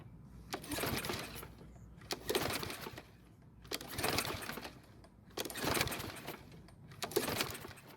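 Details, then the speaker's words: Troy-Bilt push mower, with the air filter off and fuel poured into the carb throat: five slow recoil pulls, each a rattling spin that never fires. Owner suspects flooding or moisture in the cylinder; no-start. "so this time it didn't even try and start which makes me think there's either too much fuel in the engine or there might be too much moisture in the cylinder"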